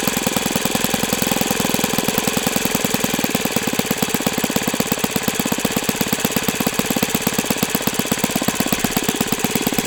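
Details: OS FS-91S II four-stroke RC engine on a test stand, first run, warmed to operating temperature and feeling freer; crisp, rapid, evenly spaced firing pulses at steady speed with no misses or surging; runs healthy.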